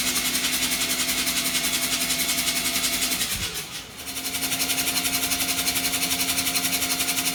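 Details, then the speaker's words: 13b rotary engine (RX-7) in a Thai longtail riverboat, first start attempt jump-started off another RX-7 rotary; quick regular starter pulses about four a second, pause then resume without catching; turns over but won't fire. "that close baby it turned over that's all that matters"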